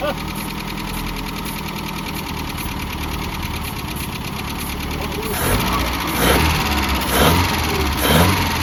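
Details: 1988 Mazda B2200, carbureted, first start after 13 years abandoned, with the carburetor fitted and ignition reconnected: rough idle with a loud raspy exhaust booming on throttle blips. Loud exhaust from a failed muffler.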